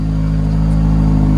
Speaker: That's a high idle if I've ever seen one.